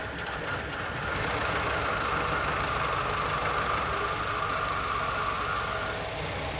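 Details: Nissan GA16DE petrol engine first start after repair: steady even idle with light ticking patter and faint mid-pitched hum; normal idle.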